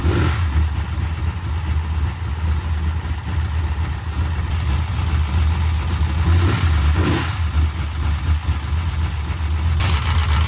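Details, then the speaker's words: 1968 Dodge Charger, used big-block 440, restarted after lifter work: deep V8 rumble with throttle blips and a light, fast sewing-machine tick from the valvetrain. Lifters still noisy, possibly louder on 10 and 12; smaller cam and intake fitted, actual cam unknown. "All right. A sewing machine. 16 of them. 16 sewing machines coming right up."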